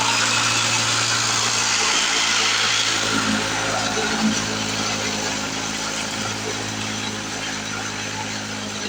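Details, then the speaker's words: 1970 Lawn-Boy Buttercup two-stroke mower cutting thick wet grass, blade unsharpened: high busy buzz holding speed through heavy grass, easing slightly near the end; healthy, strong-running. "oh my goodness I am truly impressed what a great little mower I didn't even sharpen the blade on it"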